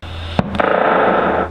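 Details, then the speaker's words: About 30-year-old Roland JC-120 guitar amp switching off: click, then steady hum with raspy buzz lingering about a second; fault comes from the amp itself, not the guitar, suspected power issue, repair unsuccessful. "Not good to hear that when it clicks off. It's a power issue."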